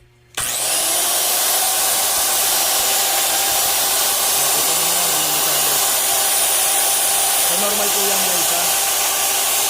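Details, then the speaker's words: Newly repaired Makita LS1040 miter saw after replacing armature, stator, motor housing with melted bearing seat, carbon brushes, brush holder cap and switch: motor spins up quickly to a steady clean high whine, no grinding or rattle; normal running, normal spark. "Normal yan. So, ang ganda ng tunog, tsaka matining. So, yun po yung normal na spark niya."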